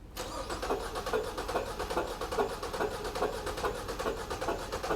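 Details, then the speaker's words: Four-cylinder engine with firing order 1342 and one spark plug pulled, cranked for a relative compression test with a low-amp probe on the negative battery cable. Steady cranking at about two beats a second is lopsided, with one compression peak missing: a dead cylinder. "so it's 1342 is the firing order and we'll see right around here there's a whole cylinder missing right there"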